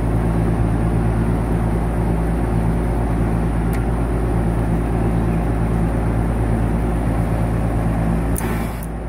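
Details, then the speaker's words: Air-conditioning compressor tested before a start capacitor and potential relay were fitted: a heavy, steady electrical hum without the compressor spinning up, then it drops off, with amp draw checked. Locked rotor; the compressor is seized. "Yep, that's it. She's rotor's locked. No good. No good. That compressor is locked up."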